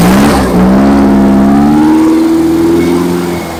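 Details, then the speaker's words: Engine during break-in, after fixing a backwards-connected fuel pump and reconnecting the vacuum advance line: held at raised speed, tone climbing smoothly then easing off, no misses or knocks; running cleanly. "I definitely had the fuel pump hooked up backwards so that much is solved starter battery ordeal something entirely different"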